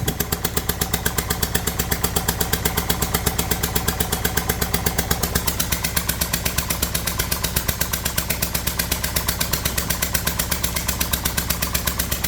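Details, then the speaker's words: Kia Sportage 1.7 diesel idling with a loud rhythmic chuffing, about 160 puffs a minute, over a rough tractor-like idle: compression blowing past one leaking injector seal, oil and dirt everywhere; fix is cleaning injectors, new copper seals and a new rocker cover. "So I didn't know Kia made tractors, but apparently this one's turned itself into one."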